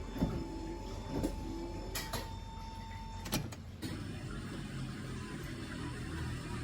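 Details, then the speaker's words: Mercedes-Benz W113 230SL wipers after repair (wiper switch freed up, stick fuses turned to improve contact): a soft motor whir with an even sweep and click about once a second. Normal wiper operation. "Wipers can now work"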